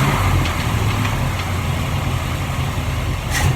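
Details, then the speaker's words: 1947 Ford street rod V8 idling right after the intake manifold and distributor were reinstalled, on a cold day, with temporary, unfinished adjustments; steady, even rumble with no misses, knocks or ticks. A clean, healthy idle. "okay always feels good when you put it back together and it takes it right off with no problems"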